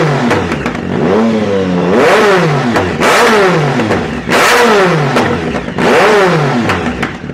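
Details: 2010 Speed Triple SE with a new, untuned Competition Werkes exhaust and no SAI block-offs fitted: revs rise and fall, with sharp crackles and pops each time the throttle closes. Exhaust popping on deceleration; cause suspected, not confirmed.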